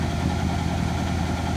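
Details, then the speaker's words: 1966 Chevrolet Biscayne, numbers-matching 396 big block, abandoned car, started off a jump starter: low uneven loping idle with one cylinder not pulling, not quite right; dead cylinder misfire, no smoke, stuck rings suggested as a possible cause, Berryman's B12 planned. "hi golly that's pretty good not quite the way it's supposed to sound but with that dead cylinder a little bit"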